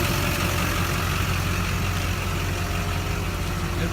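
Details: 2001 lowered Duramax diesel pickup walked around while running: steady low idle rumble with even firing and a faint compressor whir; no knocks, misses or hunting, runs healthy.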